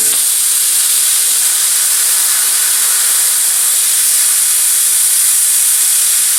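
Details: Cheap eBay plasma cutter cutting with the compressor on at steady 70 psi input pressure; steady even hiss with no sputter or popping, cuts much better than on low air.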